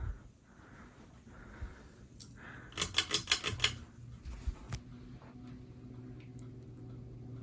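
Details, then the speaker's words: Hampton Bay Quick Connect ceiling fan on low speed, starting to hum, with quick light ticks about three a second that come and go; cause of slight ticking unknown. "okay so on low it was pretty quiet but now it's starting to hum a little I don't know if you guys can hear that it's also making a very slight ticking noise not sure what that's all about"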